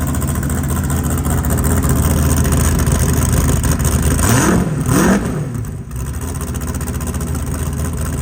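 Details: Off-road race car after the worn harmonic balancer, with its flattened belt grooves, was replaced to cure aggressive belt squeak. Steady deep idle with a quick rev and fall back, no chirp or squeal from the belt, smooth and even.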